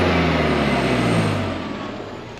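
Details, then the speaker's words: 6-ton diesel truck running: steady, even low diesel rumble with no knocks, ticks or rattles, a healthy engine. "look at that guys no funny noises or anything let's see how she [Music] runs"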